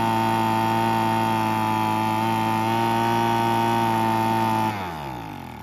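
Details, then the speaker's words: Weed Eater BV1650 two-stroke blower vac after about 10 minutes of running: high steady buzz for a few seconds, then sags and dies, no proper idle; carb needs rebuilding, limiter-capped adjuster screw gave little change. "oh yeah that's about what I thought so we'll have to go through the carb it does have a limiting cap on the adjuster screw and I did mess with that a little bit but um there wasn't much change in it"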